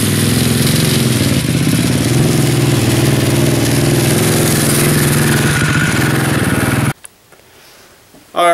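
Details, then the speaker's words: Racing lawn mower ridden through the yard: steady small-engine drone with uneven tinny chatter over it from badly warped fenders rattling against the frame. "I knew it was bad because you can hear them rattling off the fram"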